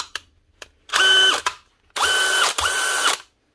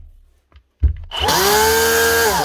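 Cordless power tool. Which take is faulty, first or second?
second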